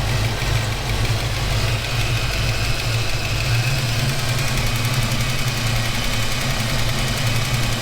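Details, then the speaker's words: Foxbody Mustang V8 soon after a cam swap: steady idle with a light, rapid tick that worsens as it warms; the stethoscope suggests the area between cylinders 6 and 7, and a valvetrain cause is suspected, not confirmed; engine ticking. "there's definitely a bit of a tick over here. Like I said, I'm going to use that stethoscope and see if I can hunt it down. It seems to get a little bit worse as the car warms up."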